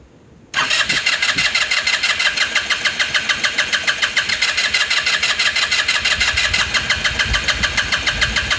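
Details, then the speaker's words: 2018 Lance Cali Classic 125cc scooter, cranking after more gas was added; steady fast starter churning about three pulses a second, never fires. Suspected fuel starvation; unchanged fuel filter to be checked. "battery back on back on back on you see this thing did not getting gas all right you got to figure that out"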